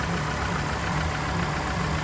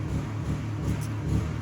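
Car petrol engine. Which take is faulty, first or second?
second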